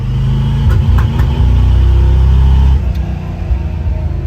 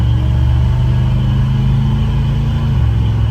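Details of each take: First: 1972 Chevy C20 pickup, 350 V8 crate engine with Edelbrock 650 cfm carb, under load: pulls hard then sputters and stumbles around 3,500-4,000 rpm like a rev limiter; later cured by new R44T spark plugs gapped .050. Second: 1972 Chevy C20 pickup, 350 V8 crate engine, Edelbrock 650 cfm carb, HEI distributor, after new R44T spark plugs gapped to 0.050: pulls smoothly past 4,000 rpm with steady exhaust drone, no breakup or misfire.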